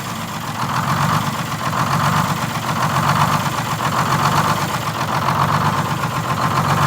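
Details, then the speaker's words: 1947 Silversides bus, Detroit Diesel 6-71, during governor adjustment: diesel idle swells and sags in a slow, steady cycle about once a second; governor hunt from a misadjusted buffer screw. "yeah i just want to make sure i get the hunt out of it real easy"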